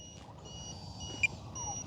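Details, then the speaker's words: Arrows BAE Hawk 50mm RC jet in flight: quiet on-off high-pitched beeps from the speed controller after the battery hits its low-voltage cutoff. The motor throttle cuts and the plane goes dead stick, about 52 seconds in. "oh there it is it's dead okay okay now it's dead stick so you got to let me do this right so it went to low voltage"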